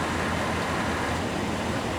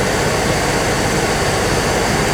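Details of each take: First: 1997 GMC Savana van, engine running during R134a AC recharge, about four cans added: steady even compressor hum and whoosh with no cycling, knocks or squeal; compressor now running much longer, normal. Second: 1997 GMC Savana at idle on max AC during an R134a recharge: the engine pulls down briefly each time the compressor cuts in, and it keeps cycling on and off from a low refrigerant charge.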